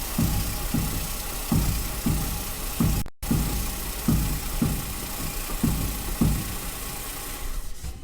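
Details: 2011-2019 Ford Explorer with engine running, wheels turned side to side, microphone clipped near the strut spring: dull thumps roughly once a second as the worn strut mount sticks then lets go, mount binding before replacement.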